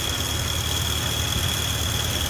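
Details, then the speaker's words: Morris Minor A-series with Judson supercharger, intake manifold gasket just replaced: steady even idle with a faint constant high supercharger whine, no knocks or misses; running healthy. "let's start it up and see what it sounds like there it is it doesn't sound too bad uh it's not really idling around 1000 right now"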